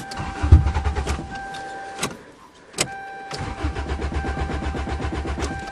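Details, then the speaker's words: 2009 Toyota at a cold start: two bursts of steady starter cranking with a pause between, and the engine never fires. No fuel pump sound is heard, and a stuck fuel pump is suspected but not confirmed. "oh now you're teasing it's doing the same thing as last [Music] year I can't hear the fuel pump probably is a stuck fuel [Music]"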